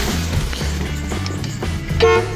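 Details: 1967 Chrysler Newport after years of sitting, just fitted with a new battery. Two short horn blasts with a clear, steady tone over background noise; the horn works strongly.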